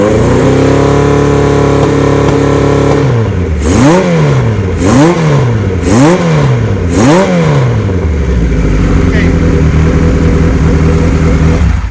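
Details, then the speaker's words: 1975 Kawasaki Z1 900 inline four, 0 miles after restoration, new battery cables, battery at 12.7 V: fires up to a steady idle, then four clean, even throttle blips with no knocks under a loud header; healthy engine. "I'm going to fire it up here and show you where we're at. Ready? The motor has no noise whatsoever."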